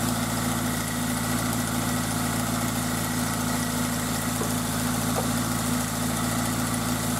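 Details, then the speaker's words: Toyota MR2 Spyder with a swapped 2ZZ engine, idling cold: quick light ticking keeps time with the engine, present since purchase and smoothing out after a minute or two of driving; owner suspects valve clearance, unconfirmed. "so the engine's been making that noise uh pretty much since I bought it and um what I noticed was that it would do that in when it's cold and then after I drove it for a little while really only maybe a minute or two it would smooth out and go away so I just kind of thought maybe it was a valve clearance issue"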